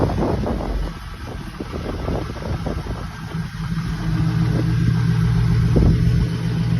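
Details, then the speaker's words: Chevy C10 with an LS swap, a 4.8 engine from a 2003 truck, first started in March 2023 without much trouble. Steady, even V8 idle with a deep low burble and no knocks or misses; it settles smoothly. Sounds healthy. "Got this thing running. Sounds pretty good."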